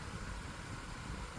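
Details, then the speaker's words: 1999 Lasko model 2000 12-inch oscillating desk fan, curb find with an overpowered Panasonic motor seemingly meant for a 16-inch fan, on low speed: steady strong whoosh with low hum, as loud as a normal high; blade likely warped, guards shaking. "Now the low speed is pretty much like a regular high if it had the hunk same motor, but it doesn't."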